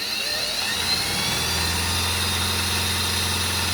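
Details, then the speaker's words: Freshly restored Singer sewing machine, final test sewing a fancy stitch pattern: fast, even whir with steady low hum, no knocks, catches or rattles; runs smooth and healthy. "But listen to this machine while it sews. It's so fast and so smooth."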